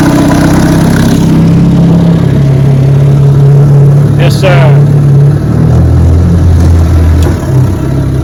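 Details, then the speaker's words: Restored 1961 Evinrude 18 hp outboard on a 14-foot Feathercraft, about 22 mph: steady, even low drone with no misses or knocks; normal running. "she runs beautiful man this motor screams 22 miles an hour on my 14 foot feathercraft"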